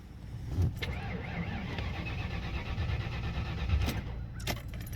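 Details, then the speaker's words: 1992 Ford Mustang GT 306 Foxbody that stumbled, backfired and quit on the highway; fuel filter just changed: starter churns evenly but engine never fires; owner suspects TFI ignition module or distributor timing. "on this car it's always started it's always ran uh even almost a year ago when I got it I had to drive it probably 45 minutes home and it's not cooperating"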